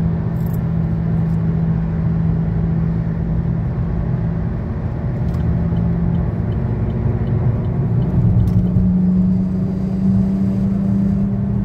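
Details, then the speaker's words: 2013 Chevy Sonic, 75,000 miles, driving: steady low droning hum holding with road speed under road rumble; bad left front wheel bearing, passenger-side bearing new. "in the second clip you will hear the sound of a bad left wheel bearing while the passenger side bearing is new"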